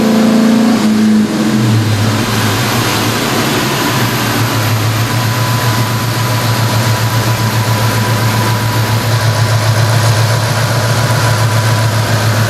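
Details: V6 New Edge Ford Mustang swapped to a Ford Performance Coyote Aluminator crate V8 with Cobra Jet intake, on the dyno: catches and settles into a strong, even, lumpy idle with a steady deep beat; sounds healthy.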